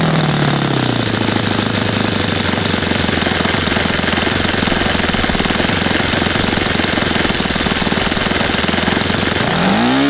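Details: Saito FA-100 glow four-stroke after rebuild (new bearings, gasket set, tappets; exhaust tappet was mushroomed), APC 14x6 prop, Omega 10% fuel, OS F plug: loud steady high-rev buzz with prop roar, even without misses, before throttling down; healthy.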